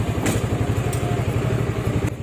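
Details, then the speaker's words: Kymco Xciting S400i scooter with a hard-starting problem, running after repair of a faulty part ("kunya"), charging 14.6 V: steady even putter with a firm low thump, no misfires or rattles; normal idle. "At o na buhay na ulit. Pwede ng makabyahe papa-Regi yun oh. Uy, bumobomba pa oh."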